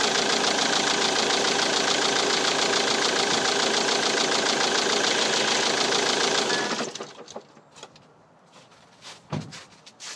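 Even, steady diesel clatter at about 200 beats a minute with no misses, then it shuts off cleanly; fuel feed and idle are healthy.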